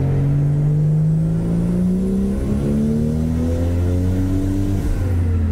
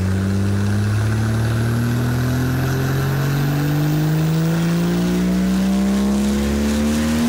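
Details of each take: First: Toyota Supra MK4 LHD with the original 2JZ-GTE twin turbo, lower compression, on its first full-load dyno run with 1.2 bar boost from 3600 to 4500 rpm: the engine note climbs smoothly with no pinging or knocking combustion. Normal run. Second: Toyota Supra MK4 LHD, original 2JZ-GTE twin turbo, on dyno: engine pulls hard, pitch climbing to 5000 rpm at 1.2 bar boost, injectors at 100% opening, knocking combustion then lift-off; injectors need replacing.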